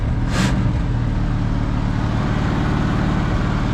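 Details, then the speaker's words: 1973 Mercury Grand Marquis, 429 Ford big-block V8, C6 transmission, 55k miles, long parked, fouled plugs found: fast, steady high idle with even low rumble; choke stuck on. "my choke was stuck on"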